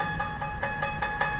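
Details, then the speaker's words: King Industrial scroll saw running after blade fitted and tensioned: crisp, even tick about five times a second with a steady ring, the sound of correct blade tension so the blade won't pop off. "that's about the sound you want to hear before that thing will pop off so you got to make sure that it's it's got pretty much tension"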